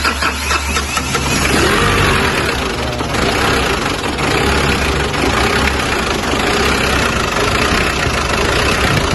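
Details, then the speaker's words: Mazda BT-50 diesel after repair (loose turbo cartridge; weak solenoid/vacuum valve ground rewired to body): starts and settles into a steady, even idle clatter with no knocking, no longer stalling; normal idle. "Dan syukurlah, mesinnya tidak mati lagi. Ini juga berjalan dengan lancar."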